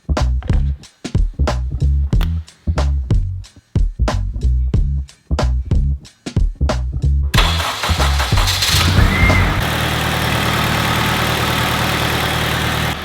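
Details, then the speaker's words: Turbo Honda Civic Si, started after fresh oil and a clean filter cut to cure an engine noise: cranks, catches and settles to a smooth, steady idle with no ticking or knocking; noise gone, sounds perfect. "quiet as could possibly be, this thing sounds perfect."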